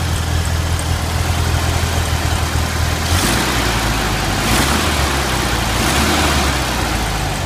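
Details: Stock 1971 VW Super Beetle, single-port 1600 air-cooled, at idle: slightly uneven, lumpy beat. Slight misfire began after the distributor condenser came loose; compression 100 psi on all cylinders, new plugs fitted. Cause suspected, not confirmed.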